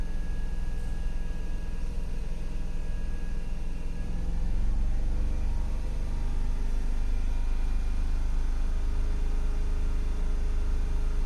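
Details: Range Rover engine with misfire but no DTC stored in ECM: steady low drone with slightly uneven, stumbling pulses instead of a smooth beat; rough running consistent with a misfire.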